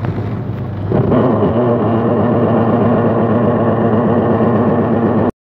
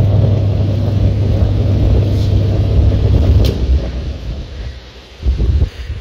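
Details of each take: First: Washing machine whose motor runs while the top section stops and clothes don't turn: the motor hum carries a rough churning grind pulsing about four times a second. Worn gearbox, to be replaced. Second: Washing machine that ran its motor but didn't spin and made noise, after gearbox replacement and refitting the belt: steady low motor hum for a few seconds, then smooth wind-down, no grinding or knocking; washer healthy after repair.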